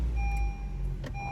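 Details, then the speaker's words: 2017 Honda HR-V after replacing the serpentine belt and the belt tensioner/idler pulley: a short, steady low idle with no squeal or chirp from the accessory drive. The earlier engine-compartment noise is gone, giving a normal idle. "it sounds good sounds real good okay no more sound"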